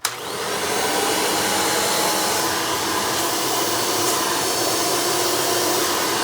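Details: 1992 Hoover Elite II Total System Performance 430 (U4617-910) direct-air upright vacuum in tool mode with hose attached: smooth, even airy roar at constant pitch with no rattles or surging; motor sounds healthy, normal running.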